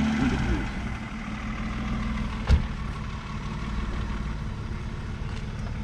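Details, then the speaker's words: Naturally aspirated six-cylinder engine in a camper van at idle: low, smooth, even burble with one brief handling knock; healthy, steady idle. "Ça tourne bien en Atmo, hein. C'est cool le bruit aussi du 6 cylindres, bien comme ça."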